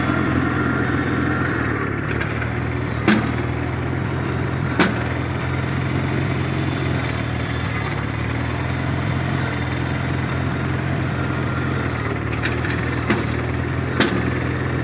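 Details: 1953 Farmall Cub tractor after refilling low hydraulic fluid (about 40 oz NAPA tractor hydraulic transmission fluid): steady even low rumble, earlier high-pitched squeal gone, sounds a lot better; normal running.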